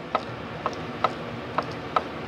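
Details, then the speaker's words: 2010 Shelby GT500 with low boost, supercharger belt off, pulley rocked by hand: five light sharp clicks from slight in-and-out shaft end play, judged normal (play taken up when warm); no grinding, pulley turns smoothly. "to me that's normal because any rotating shaft you have to have some in play it's gotta have some kind of play"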